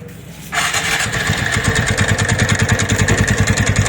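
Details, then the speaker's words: TVS Ntorq scooter starts and idles with a steady rattling knock, about three per second, from the magneto side; the flywheel (magnet) nut is loose and is to be tightened and locked. "तो ये नट सारे एंटोर का यही ढीला होता है तभी magnet side से आवाज आती है तो इसको लो हटाएंगे और अच्छे से टाइट करेंगे और फिर लॉक करेंगे इसको बढ़िया से तो इसी की वजह से आवाज आ रही थी"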